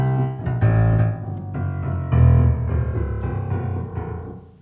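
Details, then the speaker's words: Kioshi Gen-1 piano sensor system after calibration: notes come out at erratic volume, some very loud and one key silent, traced to incorrect sensor rail bracket height. Uneven key velocity from incorrect sensor rail height. "clearly doesn't sound right this one doesn't even work it's not good"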